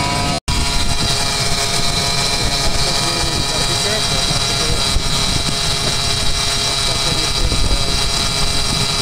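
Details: Ford 4.2L six idling, engine bay: steady whirring hum with several fixed whine tones from dry bearings; screwdriver used as stethoscope to isolate noisy serpentine belt idlers and alternator; idlers replaced.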